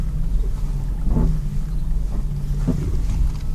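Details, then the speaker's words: 2001 Ford Escape, steering being turned: low rumble with sharp crackling and popping from the front left and right, also over bumps; worn sway bar end links. "hi guys this is a 2001 for escape and it's making some crackling and popping noise I figure I start off the video by showing you exactly what it does"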